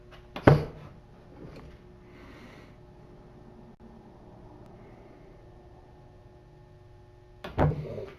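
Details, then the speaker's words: Q-9000 winch off the vehicle indoors in freezing weather on a 10 amp battery charger, winch-out test; two sharp clicks seven seconds apart with no motor whir, charger suspected insufficient; faulty relay, motor not turning. "But there is a definite difference in tone between the out and the in."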